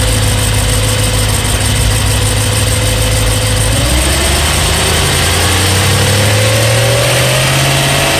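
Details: BMW E92 M3 S65 V8 at 65,600 miles, oil changed 300 miles earlier: idle with a couple of blips and a light, fast tick that follows the engine; louder cold, quieter but still present warm. Cause unknown.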